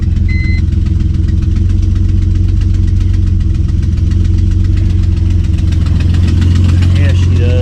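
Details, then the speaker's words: Car not run for a while, fired right up and idling: deep steady idle with an uneven puffing tick, loud and raw at the manifold; headers just stacked on, bolts loose or missing, causing an exhaust manifold leak. "I did find out today while working on this that the headers that are on it they didn't they didn't actually install the headers they just stack them on there the bolts are not even tight"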